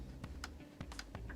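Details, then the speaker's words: Servo-controlled model railroad turnout throw: light crisp clicks, about six in 1.5 seconds, as the spring engages on top; normal turnout spring click. "and basically all it's doing is this, and I can actually feel the spring engaging on top, so I know it's working."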